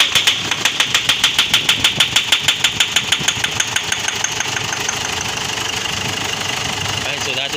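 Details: Ford Ranger/Mazda BT-50 diesel (WE engine), a hard-start crank-no-start case despite new glow plugs, started on a jump pack with a weak battery: catches with a rapid even tick about three per second, then settles into a steady smooth run.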